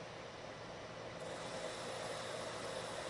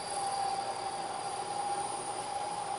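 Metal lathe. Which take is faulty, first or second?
second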